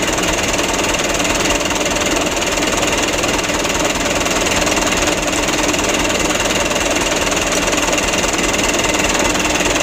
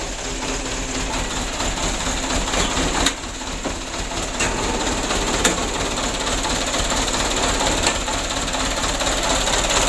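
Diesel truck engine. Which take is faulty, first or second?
second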